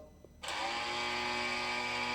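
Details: BMW R1250GSA at its 24,000-mile service, brake fluid flush run via GS-911 diagnostic tool: ABS pump motor starts abruptly and settles into a steady even high whine; ABS pump running normally during flush.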